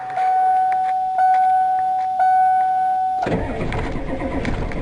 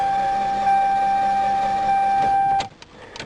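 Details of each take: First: Truck "Ol Blue" started to move it out of the way: warning chime beeps a few seconds, then engine catches promptly and settles into steady run. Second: Toyota car that broke down on the road: the starter spins with a smooth, high whir, turning over far too fast with no compression strokes and no firing; a broken timing belt/cam is suspected, possibly after running out of oil; unconfirmed.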